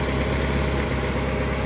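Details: 1991 Chevrolet Opala 2500 four-cylinder with a Beetle carburetor, previously misfiring from a head gasket blown between cylinders 2 and 3, after repair and valve adjustment: steady low even idle rumble with no misses, knocks or hiss; idling normally.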